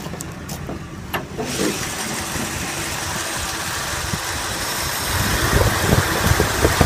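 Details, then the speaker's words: 1995 Ford F250, cold and not yet warmed up: rough idle with a heavy uneven knock about three per second from worn-out engine bearings, plus a bad misfire and an exhaust leak; the engine is to be pulled. "now what we got to do with big righted here we got a major problem bearings are out thing knocks like a son of a gun so we can hear"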